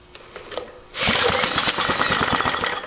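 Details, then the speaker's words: 1940s Lawson 2 hp small engine, sat 40 years with no compression, run without oil at idle on a weak battery: a few false starts, then it catches and pops along at about three firings per second; normal running. "Sounds like it took off. So, nice. So, I just witnessed it. It took off a couple times, it sounded like."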